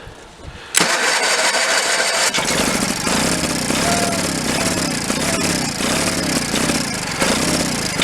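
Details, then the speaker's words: 1985 Case Ingersoll 448 Hydrive tractor, Onan B48M/B38M twin, carburetor top off, no choke: starter cranks in steady rhythmic churn, about two pulses a second, never catching; zero fuel from pump, fuel pump fault, crank no start. "Yeah, that fuel pump, something's wrong in there. No question."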